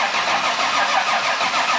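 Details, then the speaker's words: Nissan S13 with new plumbing, now reaching almost 70 psi versus 45 before: engine catches and settles into a smooth, even idle with no knocks or ticks; sounds healthy, much better. "sounds way better. Listen to that, yo. What was I telling you? Way better."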